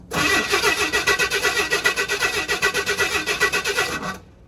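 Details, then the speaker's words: 1979 Chevy C10 half-ton inline-six, sat 8 years in a tow lot, cranking; even compression pulses at roughly four per second, cranking a little slowly; owner thinks it will need a new starter soon. "I think it's going to need a new starter soon. Definitely going to need a new starter soon."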